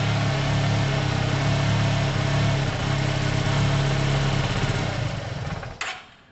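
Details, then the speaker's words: Yamaha TMAX carbureted scooter, cold and running on its own after a carb clean with the airbox off: low, lumpy idle, beat wandering unevenly before it dies away; idle set too low while cold. "But it's not warm. Maybe let's see it for this. I can adjust the idle. I know it's down there."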